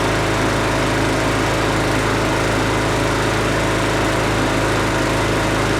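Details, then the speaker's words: Husqvarna 510 MD push mower that had hit something with its blade, running after a new flywheel key was fitted. Steady, even drone with no sputter or surging; slight vibration remains from a small crankshaft wobble. "so that worked good guys it's not sputtering and puttering or anymore it does have a vibration and that's due to the small amount of crankshaft uh wobble"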